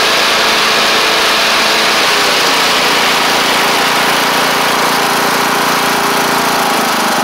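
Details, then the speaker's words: MTD Craftsman LT1500 riding mower with replacement engine, first run with blades on: even, steady drone with whirring blades, no misses, surging or knocks; pulling cleanly, healthy. "that's great really good actually um so that's that's really good"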